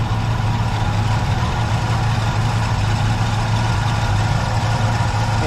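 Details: 1976 Chevrolet Nova V8 idling after repeated dead batteries, brand new alternator charging about 14.7 V, just under 15: steady, even low rumble, no knocks or misses; healthy idle, battery confirmed as the fault.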